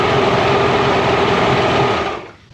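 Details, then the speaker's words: Mercury inline-6 outboard that had an intermittent spark on the #3 cylinder, with timing also being checked: a steady high buzzing run with an even beat and no stumbling, then it cuts off. It now runs cleanly on all cylinders. "sounds a whole lot better yeah I think you drop it into the you the water it probably dropped the RPMs a little bit"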